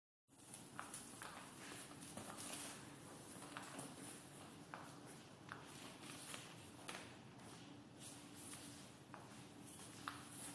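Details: COGY pedal wheelchair: sharp clicks about 1.5 per second while pedaling, caused by sand inside the pedal mechanism after riding on sand; fix is washing thoroughly with a hose, drying, then oiling.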